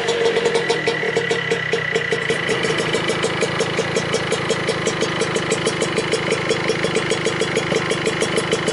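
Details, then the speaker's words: Vespa Piaggio Ciao 65cc two-stroke moped, first start after a year, engine and exhaust reinstalled with exhaust sealant: quick even putter, steady rhythm, no stumbles or hunting, no visible fuel or exhaust leaks; normal idle. "so so finally after a very long time the ciao is running again the engine is in there from what i can see there is no really big leaks no fuel leaks and no exhaust leaks"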